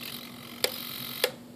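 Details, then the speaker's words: E-flite UMX P-51D BL modified for 3S power, with transmitter on: two sharp ticks about 0.6 s apart over faint high whine, flap servo chattering; owner frees such chatter by forcing flaps past the point and back. "when you have flaps that are chattery like that I've learned that you can force them down Beyond where it Chatters and then right back and then they'll they'll not have the mechani"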